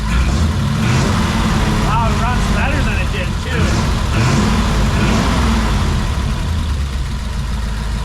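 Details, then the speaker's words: 1940 Mercury flathead V8 running again after diagnosing a no-spark stall (owner suspected the distributor dual points rather than the coil): steady, even idle with a soft, regular lope and no misses or knocks, sounding better than before. "I think it sounds even better than it did that's awesome"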